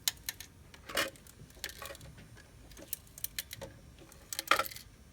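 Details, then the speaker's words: Irregular light clattering and rattling bursts from inside an SL100W unit, like a loose transformer; cause suspected, not confirmed. "What's this cluttering sound? Look at it. Hear it? Like a transformer got loose or something."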